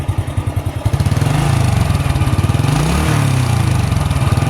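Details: Honda Astrea motorcycle after 28 years of use, now a collection bike with a weak battery: steady single-cylinder idle thump, then a quick throttle blip lifts beat and pitch smoothly and it settles cleanly; normal throttle rev.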